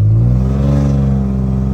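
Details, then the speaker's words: Infiniti G35 coupe while driving: loud raspy deep drone building under throttle with coarse uneven bark from an exhaust leak; muffler not fully on, flex pipes later replaced. "now that i'm aware that my muffler is actually not even all the way on all right this just sounds horrible"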